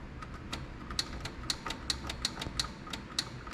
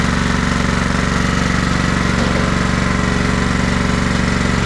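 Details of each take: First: Craftsman riding mower with a Kohler Command 16.5 hp engine, on a jumper pack with the seat switch disabled: sharp dry clicks nearly three a second on turning the key, with no cranking; the starter was reported not working. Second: Craftsman riding mower, Kohler Command 16.5 hp engine, after long storage; steady even thumping idle, no misses or surging, outside burning junk off the muffler with smoke likely from a slight oil leak; earlier tappiness from hydraulic lifters pumping up; normal idle.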